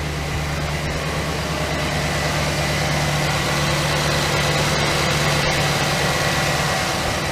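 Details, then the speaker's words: 2008 GMC Sierra 1500 5.3 V8, first start after replacing a failed AFM lifter and sitting a week: steady, even idle with a smooth low rumble and no ticking, tapping or exhaust leak; normal idle. "all right fuel pump all right everything's good ooh sounds good all right all right looking good sounding good"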